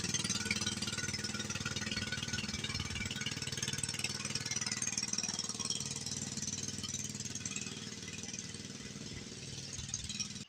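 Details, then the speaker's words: Cheap second-hand small-engine mini bike on its first test run: fast steady single-cylinder idle that softens and fades as it stalls after half a block; owner suspects a fuel issue or water on the shut-off, and possibly an idle set too low. "All right, well, as you can see, first test run didn't go as planned. Made it about a half a block and it quit running."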